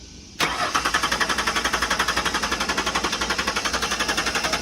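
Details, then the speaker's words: Auction lot 30 on a jump box: starter cranks at a steady four beats a second with even compression pulses but the engine never catches; cranks, no start today, though it reportedly started and moved when its key was made. "Okay, so on lot number 30, could not get it to start today."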